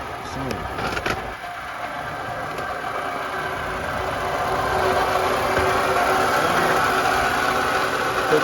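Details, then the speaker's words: 2012 Toyota RAV4 engine: fast, fairly regular rattle about four per second over idle, from the front of the engine, that does not go away. Worn water pump bearing rattle; the fix involves removing the belt and a cover. "there's a lot of noise when you turn the engine and it doesn't go away so i'm going to show you exactly what the fix is going to be"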